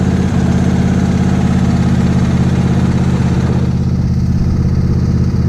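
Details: Lawn tractor small engine on fresh TruFuel before winter storage: steady even fast idle on choke, low drumming beat, no misses; running normally.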